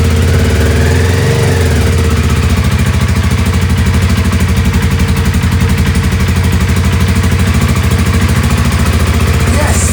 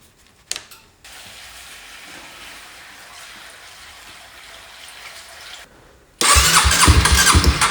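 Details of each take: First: 2007 Honda CBR125R 125cc single at a steady fast idle, even pulses with no misses, first start after sitting outside two years non-running and refitting a missed seal; running normally. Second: 2007 Honda CBR125R, left outside two years, fuel pump reportedly not pumping: quiet seconds then loud uneven churn as engine cranks without catching; fuel starvation, crank no start.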